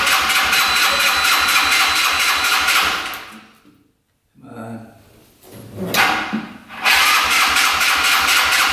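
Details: Yerf-Dog Scout 4x2 UTV, sat outside for years, started on choke: engine runs briefly, fades, sputters through restarts, then runs again; fuel starvation, clogged filters stopped the fuel pump.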